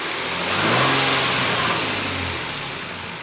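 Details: After timing chain repair on a 2007 Nissan Frontier (cam chain, tensioner face, O-ring seals and front crank seal replaced): the engine revs up smoothly and settles back, no whining tone over the exhaust note; whine gone.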